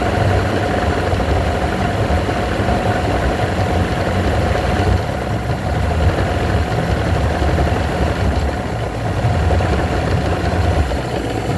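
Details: Evinrude V4 120 outboard idling with a low, lumpy rumble that roughens, steadies, then sags again in slow waves.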